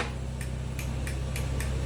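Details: Honda TRX450ER hard start: slow labored cranking on a big external battery, steady low drone with sharp ticks every third of a second; runs well once started; crank bearings suspected, crank bearing repair planned.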